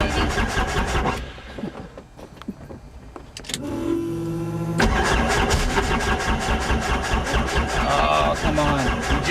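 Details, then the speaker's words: Helicopter turbine start after sitting all night, about 20 years ago: short rising starter whine that drags and fades without the turbine catching; sluggish cranking, owner suspects a dying battery. "i think this battery died out oh come on girl be good"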